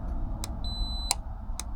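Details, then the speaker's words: Gulf Stream Endura motorhome relay being bench-tested: power applied across terminals 85/86 gives a sharp click, and the multimeter on continuity beeps steadily, so the contacts close and the relay is good. "it's closing the circuit so this is a good relay"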